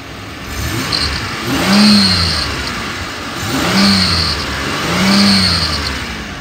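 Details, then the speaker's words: 2006 Chevy Monte Carlo LT, 3.5 L V6 automatic, 66,000 miles, warm after 45 minutes running; three quick revs each bring a thin high squeal rising and falling with engine speed, likely squeaky serpentine belt, cause unconfirmed; engine otherwise sounds good, responsive. "sounds like it has a squeaky a squeaky serpentine belt but the motor does sound good it's very responsive"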